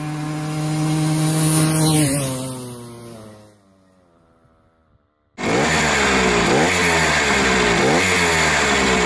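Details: Sachs 50S, freshly overhauled 6-speed with bored original cylinder (75cc), two-ring piston (L-ring plus standard), used Ultra 80 clutch basket with needle bearings, untuned, about 1000 km: a thin high whine on throttle lift-off. Owner suspects piston rings, though no play was found.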